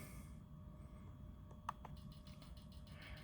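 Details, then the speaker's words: Injector test via TunerStudio checking the last injector individually, engine not running: faint, even ticking about seven clicks a second over a quiet room; the injector is opening and closing normally. "I hear it going so that's a good thing"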